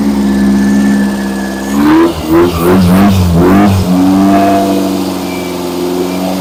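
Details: Freshly rebuilt engine during break-in, after fixing a backwards-connected fuel pump and reconnecting the vacuum advance line: running steady, throttle blips rise and fall cleanly before settling to an even idle.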